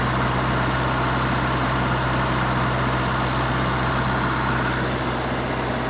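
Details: Wisconsin VG4D four-cylinder engine running on propane, driving a 15 kW Kohler 120/208 V three-phase alternator plus transformer, revived after auction: steady even low hum with smooth firing, no misses or knocks; normal running.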